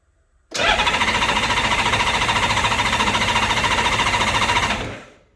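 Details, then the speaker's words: Honda Goldwing motorcycle at its first spring startup, ignition on and choke off: an even, rapid starter chug of three or four strokes a second for four seconds with no firing; deliberate cranking to build oil pressure until the low-oil light goes out. "I'm just going to crank the engine you'll notice that as you do that as you crank the engine the low oil warning light will go out that means we've got oil pressure"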